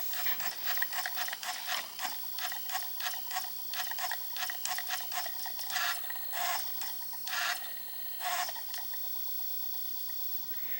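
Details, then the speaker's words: Japanese Panasonic 3DO FZ-10, after laser repair, previously wouldn't read discs, reading a disc: quiet irregular ticking with short whirring bursts as the laser seeks; slow boot but menu loads, normal disc reading. "It's definitely reading it, and there's some logo on the screen, and it takes a while to boot the game, you know, before the menu appears, but it's definitely working."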